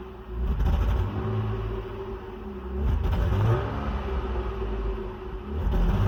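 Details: BMW E39 520i inline-six at 179k km on original ignition coils, revving with an uneven, stumbling beat under the rumble; misfire from failing ignition coils.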